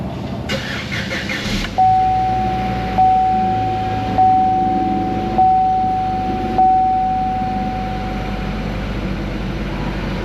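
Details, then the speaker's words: Encore after an engine repair involving belt and motor-mount removal: a short crank catches cleanly into a quiet, steady idle under a chime about once a second. The engine sounds healthy; it is being run to check for leaks. "nice and quiet we'll let it run a little bit check it for leaks"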